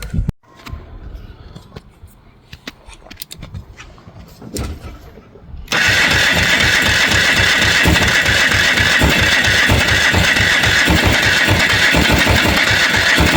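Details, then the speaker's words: Polaris 300 two-stroke ATV, Wossner top end, non-functional oil injection, new rings wouldn't compress to fit: catches after fumbling but runs strained, never settling; wants to start but unhappy, hard running from low compression. "no luck it wants to start but it ain't happy"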